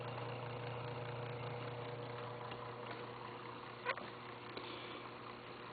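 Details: Webcor tube tape recorder after recapping, electrolytics replaced; loud steady hum at about 120 per second with fainter higher tones, unchanged throughout; rattling possibly from a bad middle speaker. Mains hum, source not yet traced.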